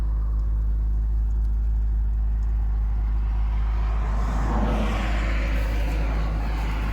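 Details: 2004 MG ZT-T+ 180 petrol V6 at smooth, steady idle after a Rover MG specialist replaced unplugged coils, curing the misfire; no engine management light, even low hum without stumbles.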